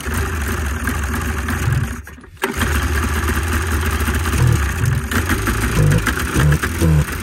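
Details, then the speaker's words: Arctic Cat Cougar 500 with a Suzuki two-stroke, on an auxiliary tank because water is suspected in the fuel lines: a buzzy engine catches and keeps running with uneven blips. It runs, drives and reverses but seems to cut out; carbs are possible. "well the old girl does run and drive and reverse even works she's definitely got some other issues"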